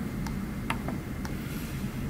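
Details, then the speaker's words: LEGO NXT brick with faint sharp clicks about twice a second after its boot sequence was interrupted, stuck in firmware boot mode ("ticking brick"); fixed by updating the USB driver and reconnecting. "oh yeah I remember this now we have a clicking brick so we have to make it stop clicking I interrupted the boot sequence and so it is not good"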